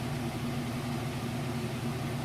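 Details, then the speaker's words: Maytag Centennial heavy-duty super capacity washer on a warm super-load cycle, in final spin at about full speed: a steady low hum, very smooth and quiet, with no thumping, banging or off-balance shaking. Normal spin cycle. "all right it just kicked into that final spin and it should be just about at full speed it's very smooth nice and quiet"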